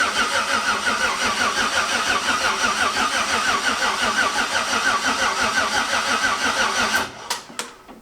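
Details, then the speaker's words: Maliboost engine first start after 30 days of work: starter turns the engine over slowly at a laboring steady rhythm of about three beats a second; slow cranking from a poor ground connection that was seen smoking. "crank's over not fast but it cranks over uh that ground wasn't good because i've seen it smoking a little bit"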